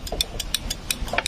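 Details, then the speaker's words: Yamaha Vixion motorcycle: rapid sharp starter relay clicks, about three a second, starter motor not cranking; checking wiring from relay output to starter motor. "Nah, untuk pengecekan starter, jika bunyi cetik-cetik-cetik kayak gini nih, ini tinggal masuk ke sini nih."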